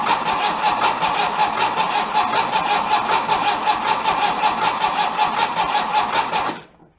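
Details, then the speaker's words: 1966 VW bus engine, out of the car after a barn find, cranked on a jumper pack: even, slightly lazy starter chugging that never catches; the pack is possibly drained from running a winch, cause unconfirmed. "it sounds like it's kind of spinning a little bit slow - might be still tired from running the winch on the trailer"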